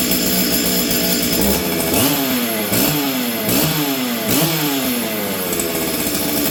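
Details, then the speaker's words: Stihl 044 Arctic chainsaw after fitting the correct new coil and a new spark plug, started on full choke with the air filter on: repeated blips rise and sag unevenly with a burbly note. Running rich and rough; it often runs briefly then dies. "see okay well it seems to be running better right now but often this thing runs good for a bit and then it dies"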